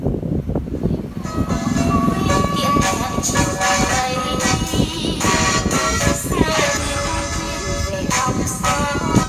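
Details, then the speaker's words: Sony CFS-1177S cassette radio with speed control turned fully down: music plays sped up and bright, pitch clearly high; tape drive runs too fast because drive pulley is too large, smaller pulley needed. "nó vẫn là giảm hết tốc độ xuống nó vẫn chạy nhanh nhá bởi V hết tầm rồi mà buly lớn quá"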